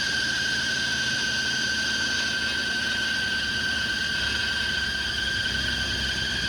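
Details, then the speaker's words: 1980 Ford F100 idling on its first start after sitting outside 20 years: a loud, steady high belt squeal over the engine that never changes pitch. The fan belt is slipping; the owner blames a stuck AC compressor, then doubts it. "that uh belt noise is uh the fan belt because the ac is stuck"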